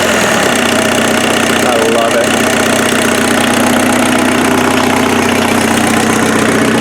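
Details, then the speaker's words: Offroad Mazda truck's freshened replacement turbo diesel, cold-start advance disengaged: even idle clatter with a regular rattle and no misses or surging. No smoke, much smoother than the previous engine; healthy normal idle. "it's so much smoother so much smoother than the other engine"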